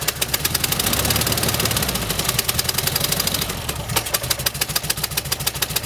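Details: 1971 early-bay VW bus flat-four after carburetor replacement, throttle cable not returning well, timing about 4 degrees out: uneven, lumpy idle with irregular popping beats breaking rhythm; runs rough like a misfire, plugs and wires suspected, cause unconfirmed.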